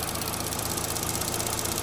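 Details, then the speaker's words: 2012–2018 Chevy Sonic 1.8L non-turbo Ecotec petrol engine idling after repair of a rough-idle complaint; steady, even idle pulse with no misses, running better, fuel trims back near zero. Normal idle. "okay engine's running seems like it's better"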